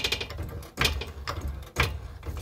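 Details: GMC Terrain front suspension worked while lifted: dry creaks and knocks every half second, noisy when turning and over bumps; worn ball joint, fixed by replacing both front lower control arms.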